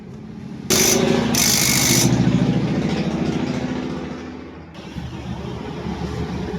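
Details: NS160 FI motorcycle after the magneto-side rattle was addressed (crankshaft suspected worn, so kick-start only): engine fires and settles into an even, steady beat at roughly three and a half pulses a second, no metallic rattle left; normal running.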